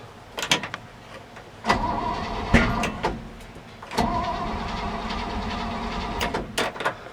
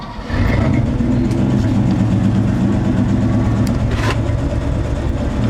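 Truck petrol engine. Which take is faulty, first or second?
first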